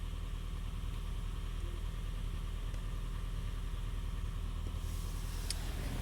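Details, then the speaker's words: Honda Fit GP5 hybrid, warm, at incoming diagnostics with misfires logged on cylinders: uneven, lumpy idle with irregular stumbles in the low thrum and light ticking on top; misfiring blamed on a dirty, sticking throttle body. "его машине летят пропуски вот такие вот 6 2 1 3 4"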